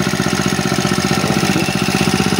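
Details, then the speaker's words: Honda G35X four-stroke brush cutter after valve clearance, timing and carburetor tune-up: starts on one pull and settles into a quick, even idle with steady firing pulses and no misses. "One click lang natin. Tapos napakaganda pa ng kanyang idle mga boss."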